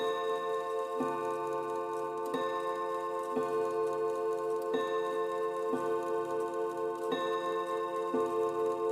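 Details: 1930s chiming mantle clock after its exploded chime mechanism was replaced with a repaired second movement and the hammers adjusted: even strikes roughly every second and a bit, each with a clean sustained ring and no buzz or rattle; chime working properly.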